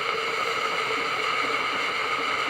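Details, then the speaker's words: Tefal Access Steam Force DT8270G0 handheld garment steamer, 2000 W, 200 ml tank, new unit; steady airy hiss with a faint whistle, no sputter or gurgle, normal steam output. "let's try again and there we go steam output coming out I'm giving you a sense of"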